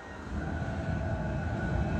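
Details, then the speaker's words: Bus conversion furnace (diesel heater) just fired up for the heating system, water still cold so no warm air from the vents yet; steady fan whoosh, constant faint high whine and even low rumble, no pulsing or sputter; normal operation. "heater just fired up hopefully you can hear that there's no warm air coming out of the out of the vents yet obviously cuz the water is so cold"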